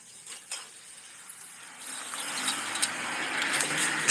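A rough, gritty rushing noise builds as the wheel turns, the dry grind of a worn wheel bearing.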